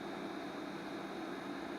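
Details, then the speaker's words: 300W Chinese boxed FM broadcast amplifier driven at about 2 watts input: cooling fans switch on, steady smooth airy whoosh with faint even hum, no ticking or grinding, not too loud; normal fan operation. "Oh, the fans went on. Hear that? That's what it sounds like. Not bad at all. I like that. That's not too loud at all."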